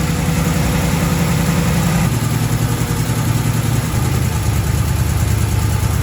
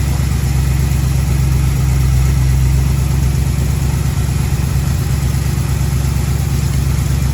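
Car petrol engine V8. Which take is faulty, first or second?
second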